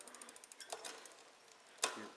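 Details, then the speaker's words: Shimano XT rear derailleur after adjustment, hand-turned with no load, shifting down through gears six, five and four: light, quick freewheel ticking with clean single clicks as each gear drops in; shifts smoothly. "gear six smooth into gear six gear five see it smooth into gear five gear four smoo in the gear four you don't even hear it now on with the load it may be a little"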